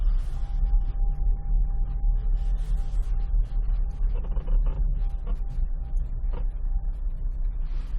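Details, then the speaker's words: AWD Toyota Corolla Runx with a propshaft, driving slowly in the first minutes after a cold night at -13°C or colder. A thin, steady high whine sits under the rolling rumble and creaks, seemingly from the rear right; it stops after about 2 minutes and is absent at -12°C or warmer; source unknown. "каждое утро на холодное когда температура примерно минус 13 и ниже градусов первое время при движении слышно характерный бой как будто что-то где-то скулит"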